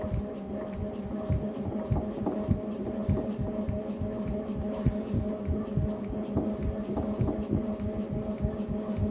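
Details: Tacx Neo Bike trainer in ERG mode: dull thumps about a hundred times a minute in step with pedalling; rhythmic knock, tightening the left crank arm did not fix it, cause not found.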